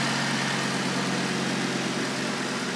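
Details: Audi RS3 with a fully forged five-cylinder, on its first start, with a new battery: a smooth, even idle with a steady low hum and no stumble or misses. The engine runs cleanly despite dash fault lights.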